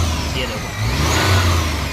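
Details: Maruti Omni after tightening the fan belt that squealed in cold weather with headlights on: engine revs up smoothly with lights switched on, no chirp or squeal from the belt, just a clean, even rise in engine note.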